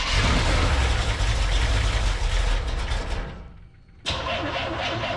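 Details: Carbureted Corvette on jump pack, fuel pressure about 5-6 psi at carburetor; steady fast starter cranking about 200 per minute, no firing, pause, more cranking; crank no start, owner suspects carburetor fueling issue, unconfirmed.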